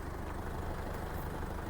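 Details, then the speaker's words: 2006 Isuzu D-Max Hi-lander, 2500 cc stock engine, manual gearbox, idling. Even low diesel clatter with a regular beat and no misses or knocks; no shake or stumble and no smoke. Healthy idle. "ฟังเสียงเครื่องประมาณนี้ครับเครื่องไม่สั่นไม่สะดุด"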